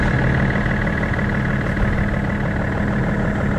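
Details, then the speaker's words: BMW X5 diesel started after replacing a fuel line fitting and sleeve; it starts straight away and settles into a steady idle with even low clatter and no misfire or knocking, left running to check for fuel leaks. "so he starts up straight away which is perfect so what we're going to do is we're going to leave it running"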